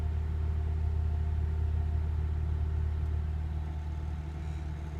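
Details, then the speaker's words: 2005 Acura RSX Type-S after a weak cold start: a high, steady drone above 2000 rpm that eases down and then surges back up; the idle is hunting, cause unknown. "It'll stay up above 2000, it'll come down, and then it'll shoot back up like a surge."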